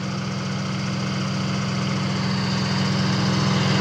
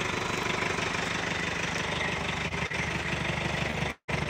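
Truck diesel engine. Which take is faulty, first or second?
second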